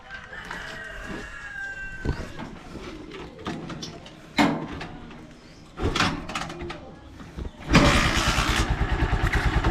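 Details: Honda Supremo motorcycle with hard starting, especially mornings, carburetor screw returned to original half-turn setting: a few start attempts, then catches and settles into a regular, even idle.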